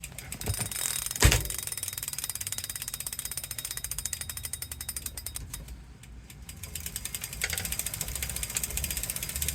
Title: wahoo kickr core clicking noise